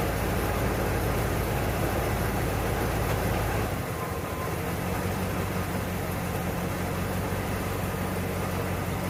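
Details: 1992 Ford Bronco, first start after being bought not running, coolant almost empty, oil a quart overfull: uneven, lumpy idle with loose low beat steadying partway; rough running.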